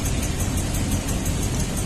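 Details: 2002 Toyota Tundra V8 at idle, flashing check-engine light, possible exhaust leak: uneven loping idle with a skipping beat; misfire confirmed on cylinder 8, injector sounds normal on stethoscope, checking spark; failed ignition coil, needs coil and tune-up parts.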